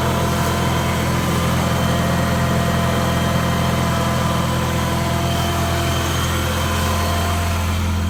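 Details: 1993 Nissan 240sx project car that needs a radiator, thermostat and belts, started on a fresh battery: steady low idle with a slightly uneven beat underneath, no clear knock; runs rough, cause not evident.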